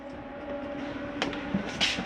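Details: Jayco Eagle HT 24RE RV slide-out extending or retracting: steady motor drone with a constant low hum and light gear whine, running evenly; the slide-out is working normally.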